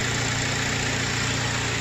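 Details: Audi A4 B7 or VW Golf 4/5, Seat or Skoda engine running with a constant high-pitched whirring whine steady over idle; annoying engine noise traced to the alternator, worn alternator bearing, repaired.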